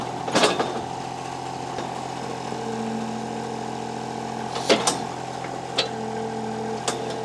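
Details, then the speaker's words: Kubota KH-10 D excavator three-cylinder diesel, hoses cooked, fires right up after a new starter is fitted, fuel pump audible turning on; even idle with a steady low thrum and a few clanks from the machine around it; runs fine. "with that new starter in there thing fires right up so you can hear the fuel pump turn on there there"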